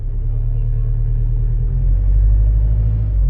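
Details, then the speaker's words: Nissan X-Trail diesel after an engine overhaul, with pump and injectors reportedly bench-checked: a low, lumpy idle with an uneven shake. One cylinder is suspected of misfiring, possibly a faulty injector, or the dual-mass flywheel; not confirmed. "чуєте як працює нерівно"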